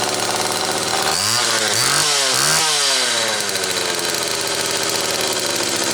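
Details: Homelite XL Automatic chainsaw after repair (fuel issue had forced full-choke running; new bar stud), cold morning, engine half warm; started in about six pulls; loud high buzz, two quick blips, then steady high revs; high speed close enough; normal running.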